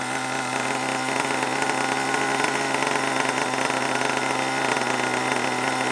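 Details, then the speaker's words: Long-unused HPI Savage 21 nitro RC monster truck engine, last tuned richer for winter: steady, high buzzy drone with a blubbery, uneven edge, oil spitting out; running very rich, needs leaning. "you might have to give it a little bit of an adjustment because uh it's very rich at the moment"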